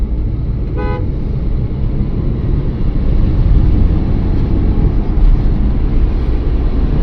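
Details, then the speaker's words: Swift on a road trial at highway speed after a gearbox repair for bearing-wear noise that used to start above 100: a steady road and engine drone with a brief horn toot, no bearing growl or gear whine. Gears shift smoothly; gearbox normal. "Bearing ઘસાવાનો અને જે અવાજ આવતો હતો અંદર ગાડીમાં, એ problem આપણો sort out થઈ ગયો છે. ગેર પણ સ્મૂથ પડે છે બધા."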